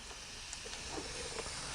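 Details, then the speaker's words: Porsche 911 Turbo 997.2 boost leak test with the intake pressurised. A steady airy hiss with faint bubbling pops as pressure is added; the leak is from a broken tab on the intercooler itself. "so now we're gonna add more pressure into the system and i hear you hear that leak i hear it from this side"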